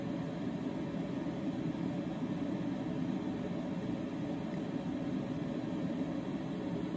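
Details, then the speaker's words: EG4 6500EX inverter running from battery only with solar off, outputting maybe a couple hundred watts, about 61–62 dB: soft, even fan rush with no pitch swings, rattles or ticks; normal inverter fan noise at low load. "so 61 to 62 decibels running in regular output mode it's it's not outputting any significant amount of power maybe a couple hundred Watts"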